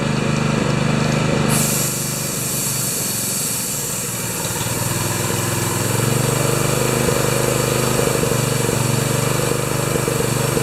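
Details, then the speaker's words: Honda-powered wheelbarrow air compressor No. 3, revived after sitting for years; the carburetor idles poorly. It drones at fast idle with a thin, steady squeal; the owner suspects the newly fitted V-belt has a different profile and squeaks. "The carburetor doesn't idle well, and I think that new belt I put on there has a different V or something in it because it really squeaks."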